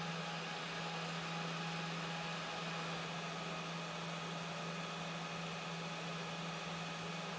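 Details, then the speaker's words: Small fan with broken blade replaced by a 3D-printed one, run at manually adjusted speeds: quiet steady hum with airflow hiss, little rattle; works as before, only slightly off balance, may need more clearance. "I'm manually adjusting some of the speeds to try to show off that everything works just like it did before"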